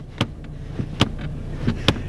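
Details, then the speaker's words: Holden VE Commodore interior: four sharp uneven clicks over low cabin rumble from the seat, common to VE Commodores; owner believes seat cushioning has come unstuck from the seat back. "is something that happens to pretty much every VE Commodore so if you're going to buy one and you hear the seat clicking it happens in pretty much all of them I've driven in I believe four and every single one of them has done that"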